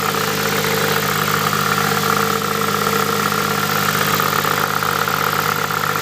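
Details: Nissan Pulsar GTI-R ticks over at a steady idle with a constant high-pitched whine above it. The owner doesn't know what the weird noise is, and its cause can't be pinned down.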